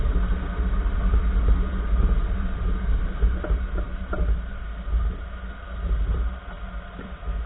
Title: 2014 Nissan March Right Front Wheel Clunking Sound - Bunyi klontang klontang di roda nissan March